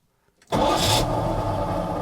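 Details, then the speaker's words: 1980 Dodge W200 Sno-Commander plow truck, restart after fitting a reman AC Delco starter, after two weeks sitting dead: short fast crank, catches at once and settles to a steady even idle; healthy start. "Ooh, she spins like crazy. Well, that wasn't bad."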